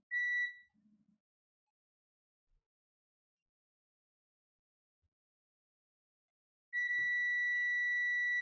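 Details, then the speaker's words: Wyze Cam v2 with no power: short chirp then steady multimeter continuity tone about two seconds; capacitor reads a dead short, suspected to lead to a damaged IC to be removed. "But let me show you the shorts here. Okay, there we go again. This is shorted. Shorted."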